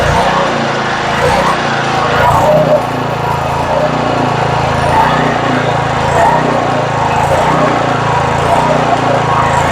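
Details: Southland edger, sat all winter and wouldn't start (suspected bad gas), running after carburetor cleaned and fresh gas added: slight harmonic at first start smoothed out once warmed up; steady even single-cylinder buzz, no misses or surging, normal running.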